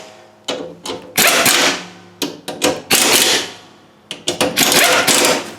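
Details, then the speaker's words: John Deere D130 mower deck, new replacement spindle after noisy worn spindles, hand-spun off the mower: short smooth whirring bursts dying away evenly, no grinding; normal spindle spin. "So it might not sound noisy on camera, but here's what the new one sounds like."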